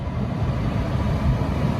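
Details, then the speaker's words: Lexus CT200h A/C blower fan after fixing a rattle caused by the stator moving on the bearing housing, reassembled, at full speed in the car; steady even rush of air with no ticking or rattle, normal. "Oh, not a single rattle, eh? Yeah, there we go. How about that? One fixed Lexus."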